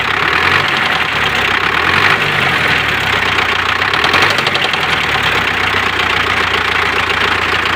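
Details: МТЗ tractor D-243 diesel at idle, loud and clattery with a sharp knock over the steady run; newly appeared engine knock, cause not pinned down.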